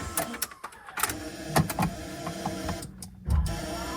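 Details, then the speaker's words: Mazda RX-7 FC with installed RX8 power heated seats: irregular clicks over faint steady buzz from behind the seats, first suspected security system; owner identifies bad heated-seat relay. "oh that's my relay all right so I got a bad relay for the heated seats now uh happens I guess"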